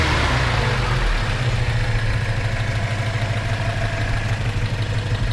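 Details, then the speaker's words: 1971 Datsun 510 wagon, upgraded L20 four-cylinder, 200SX 5-speed, already warmed up: smooth even idle with steady beat, no ticking or knocking; runs nicely, no smoke; normal idle and rev. "nice running a little little car doesn't blow smoke or anything like that"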